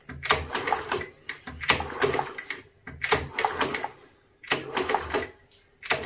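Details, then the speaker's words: Long-stood Honda CT110 postie bike, kicked over after a squirt into the cylinder: even kicks about every 1.5 seconds with clean mechanical clatter and no binding; engine turning over freely, kickstart assembly in good condition. "oh yes look at that that sounds pretty good"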